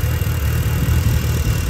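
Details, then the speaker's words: Mitsubishi Evo 8 RS 4G63 after new spark plugs, valve cover bolts retightened: steady, even low idle rumble with no ticking or exhaust puffing; runs nicely and healthy. "yeah car seems to run really nicely"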